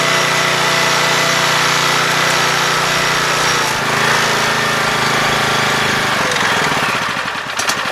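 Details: 7 HP Kohler air-cooled engine on a hydraulic power unit, freshly carb-cleaned after two years unused: idle sags, slows and stumbles, nearly stalling; idle speed and air screw need readjusting.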